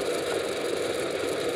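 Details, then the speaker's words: ReVent exhaust fan plugged in for demonstration: steady mid-pitched fan rush with a light buzzy rattle; a piece of tape holding the backdraft flapper makes it chatter and should be removed. "also there's a piece of tape on here to hold hold the flapper that's why it was making more noise so you want to make sure you take that tape off"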